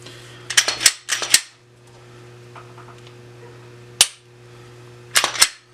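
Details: Sharp metallic slide clacks in quick pairs from a reassembled Glock 22 after cleaning, with nothing loose rattling between strokes: the slide cycles smoothly and the firing pin is properly caught.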